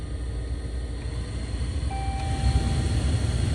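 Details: 2011 Dodge Ram 1500 (4th gen) heater blower on high: deep rough rumble with an uneven churn and a thin tone, getting louder the longer it runs; grinding worn blower motor.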